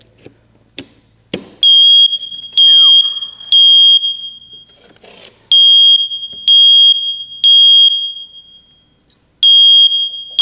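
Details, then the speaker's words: First Alert smoke detector powered by a 9V battery giving a loud false alarm of repeating three-beep groups with no smoke present; a clicking is also heard inside, and the unit is to be blown out with an air compressor. "That beeping is exactly what it was doing for for Joe. That was driving me crazy."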